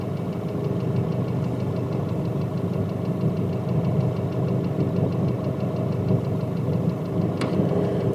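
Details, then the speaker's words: Nissan Pathfinder/Navara YD25 diesel at idle, fitted with Chinese injectors, cylinder power balance tested via Consult; sensor picks up sharp, regular metallic ticking: injector needle knock, not valves. "Причём я отсюда прямо слышу в наушниках этот треск трес адовый конечно"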